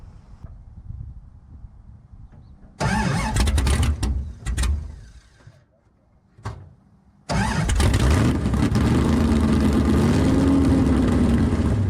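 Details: Dodge Charger 505 stroker RB V8 (600+ hp build), first start: cranking bursts and catching, then fires and hunts up and down without settling; unstable idle, not yet set up to idle, fuel pump upgrade needed.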